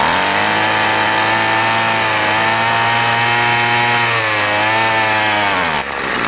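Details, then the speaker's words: Salvaged two-stroke string trimmer at full throttle after priming: a high rev wanders in pitch, sagging and recovering before dropping off. Surging; the owner suspects a plugged carb with factory non-adjustable mixture screws. "well this one's sounding like a plug carb kind of so I'll see if it's got mixed your adjustment screws first"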